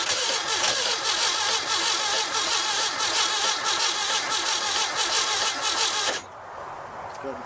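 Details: 1969 Baja Bug engine after sitting 29 years, Marvel Mystery Oil added, fuel cutoff solenoid working uncertain: starter churns steadily about six seconds, engine never fires; cranks but won't start, cause unconfirmed.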